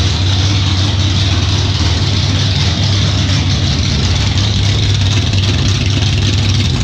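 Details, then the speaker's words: Chevrolet El Camino with 468 big-block V8 (600 hp), first startup after months of build: loud, lumpy, deep steady idle with no knocks or ticks; fuel system primed, lit on one crank, needed more idle; normal idle. "well guys that does it the thing finally runs and honestly I cannot believe it started up that quick"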